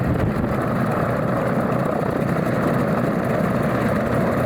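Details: Alvis Leonides Mk 25 radial engine in a Percival P.56 Provost trainer on a ground run-up: deep, steady propeller roar with an even engine beat at higher power and no misses or knocks, a healthy normal run-up.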